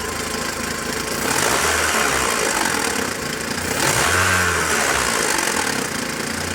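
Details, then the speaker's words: JAC J6 2.0 16V engine revved, heard at the timing belt area. Harsh rattling hiss rises with each rev, then settles at idle; the belt is seen jumping. Owner suspects the timing belt tensioner bearing has failed, not confirmed. Abnormal noise from timing belt area. "a região barulho bem chato você está ouvindo vídeo aí mas é bem chata e aparenta estou aqui na correia dentada tá provavelmente os rolamentos aí já foram"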